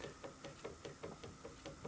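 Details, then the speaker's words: About 5-year-old Hegner scroll saw, blade arm rocked by hand: sharp, even knocks about five a second from play in a worn bearing of the cam link; fixed by replacing the link. "And uh the noise that I've perceived has basically come from the fact that I think this bearing is worn."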